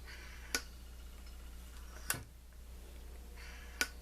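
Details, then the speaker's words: M-14/M1A rifle gas system: three sharp metallic clacks as the piston slides freely back and forth in the cylinder, showing it is clean enough to cycle on semi-automatic. "that's the Piston sliding back and forth as long as you hear that it's clean enough it'll it'll it'll right on semi-automatic no problem at all"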